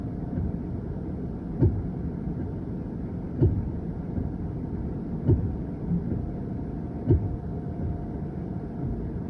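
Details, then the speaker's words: 2023 Hyundai Ioniq 5 at power-up with AC on after sitting overnight: 10 to 15 soft evenly spaced thumps roughly every two seconds from the front over a quiet hum, followed by warning and warm AC; faulty three-way coolant valve, fixed by replacement. "If at some point you start to hear a faint thumping or clicking or knocking or clomping sound coming from up front somewhere, here, I recorded it when mine was doing it, so you can listen and see what it sounded like for me. You'll hear about 10 to 15 faint repetitive thumps."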